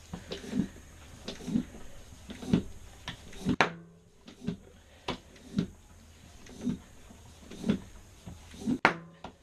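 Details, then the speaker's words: Tubeless 2.3-width mountain bike tire on an ARC wheelset, seated without a compressor with the valve core still in: sharp pops about once a second, a few louder snaps, as the beads seat onto the rim; normal seating. "the core is still in the valve there's no I mean there's almost notes in there and it's just sitting already you can hear the bead popping"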